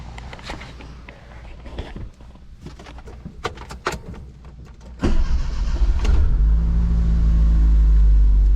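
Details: Dodge Shelby GLHS Charger, Chrysler 2.2 Turbo, brand-new fuel pump that fails randomly, test leads removed: some clicks and handling noise, then it cranks, catches and settles into a steady, even idle; starts and runs cleanly.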